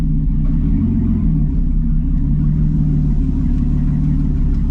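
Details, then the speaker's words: V8 after Rochester 2G carburetor rebuild and lowered idle, on test drive: deep, even rumble pulling steadily with no stumble or hesitation between gears; normal acceleration. "oh yeah man this thing's running like a top man no hesitation between gears super cool"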